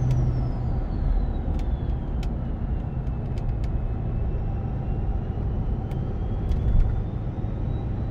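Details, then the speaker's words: 6.7 Powerstroke with MPD compound turbo kit, about 1,000 miles on the setup, climbing a mountain under load, recorded inside the cab with windows up: deep diesel rumble with a faint whistle rising and falling with boost; normal turbo spool. "there is absolutely no problem hearing this thing inside the cab and the exhaust bait really makes it sound cool too"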